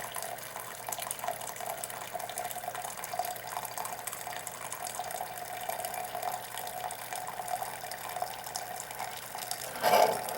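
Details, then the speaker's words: Keurig K60/K65 after clearing pump blockage and cleaning nozzle: low steady pump hum under water streaming into cup, even dispense without stalling, then pump refills internal hot water reservoir, heater drawing about 1200 W; normal brewing after repair. "so what just happened there after it filled the cup was you heard the pump running to refill the hot water reservoir inside the unit"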